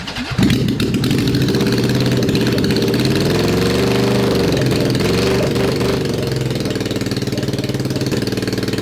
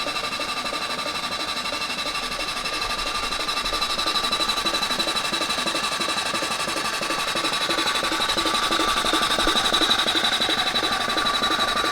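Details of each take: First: Honda CB750 SOHC four-cylinder swapped into a 1980s Suzuki Quad Sport 230, first start in years on choke: rough, uneven running with irregular popping. Backfire on start, plugs on that side suspected fouled. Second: SOHC Honda CB750 four-cylinder in a 1980s Suzuki Quad Sport 230, dormant for years, cylinders freshly lubricated: steady, even starter whir at about three turns a second with no grinding or slipping. Normal cranking, ignition not yet checked.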